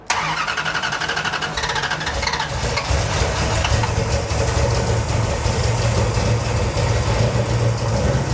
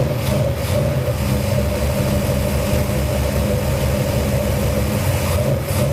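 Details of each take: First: Cold first start of a 451 cu in big-block Mopar in a 1978 Dodge D200 with a new Edelbrock VRS 850 carburetor at out-of-box settings, floats seemingly high: catches, then a steady, low, lazy V8 burble; idle a little slow. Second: New Edelbrock VRS 850 carburetor on out-of-box settings, first cold start on a 451 big-block Mopar in a 1978 Dodge D200: steady, deep, even loping idle, a little slow; floats look a little high, idle air being adjusted.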